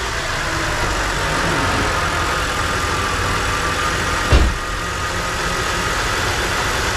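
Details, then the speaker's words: BMW E92 325i N52 manual after the engine rattle repair: even, smooth idle with a low steady rumble, no rattle or knock, one brief bump. The earlier rumble is gone and the engine runs healthy. "i think it's fixed the rumble has gone there we go one little thing fixed"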